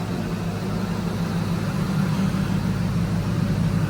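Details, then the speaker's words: Ford SVT Lightning after DIY supercharger porting and fixing a leaking intercooler hose and vacuum lines, started cold: steady deep low idle, smooth even pulse, no knocks or misses, left idling to reach temperature and check for overheating or coolant need. "yeah so we're just going to let her run and idle let it get up the T make sure it's not going to overheat doesn't need more coolant"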